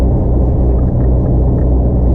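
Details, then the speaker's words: Old HGV refrigerated trailer's reefer unit, possibly low on fuel, holding +3. A loud, steady low rumble that runs nonstop without cycling, louder than other trailers' units; cause unclear. It is still holding temperature. "can hear it constantly trying to keep it just +3. Normally, you know, that the other trailers that I use, it's not running like that, and when it does, you don't hear it as loud as this one. It's doing the job though."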